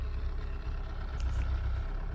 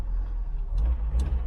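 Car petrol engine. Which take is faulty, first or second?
first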